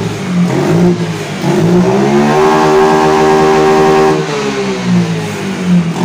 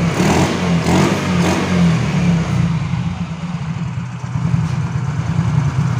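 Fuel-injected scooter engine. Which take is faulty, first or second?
second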